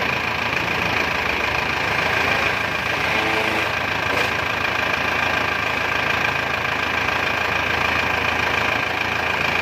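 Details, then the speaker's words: Isuzu Panther 2.5 diesel just overhauled with new main and rod bearings, piston rings and bored liners, first start after the rebuild; steady idle with an even light clatter about 200 a minute and no heavy knocks, healthy. "Kita dengarkan suara mesin Isuzu Panther 25 setelah overhaul ya bro ya."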